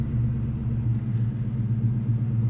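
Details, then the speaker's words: 1998 Mustang Cobra (SN95) right after a Walbro 255 fuel pump install, started on the first turn of the key: deep, even low idle rumble with a steady beat and no misses, stumbles or knocks. Normal idle. "with one turn of the key and she started up"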